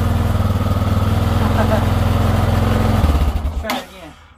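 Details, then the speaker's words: 1990 Yamaha XT600 single started on a 20 V DeWalt tool battery wired in place of the motorcycle battery: steady even single-cylinder idle thump, then winds down when switched off; starts and runs fine. "yes a DeWalt battery 20 volt will crank a 1990 XT Yamaha you just saw it firsthand"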